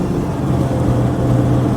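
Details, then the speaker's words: Mercedes Sprinter van, 3.0L diesel, after repair of DTC 2626, clogged DPF and exhaust back pressure codes (previously limited under 50 mph); test drive, no check engine light, boost about 2257 hPa; smooth even drone pulling up through revs, no hesitation; normal diesel acceleration. "no check engine light oh this thing's got a lot of power now"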